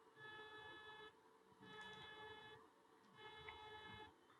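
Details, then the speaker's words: Elegoo Neptune 2S 3D printer Z-axis stepper after its speed was reduced via USB/Pronterface: manual Z moves give short, even tonal hums with pauses, quieter than before with no harsh buzz; normal movement. "if we go and try to do some manual movement we can see that the manual movement is also quieter now"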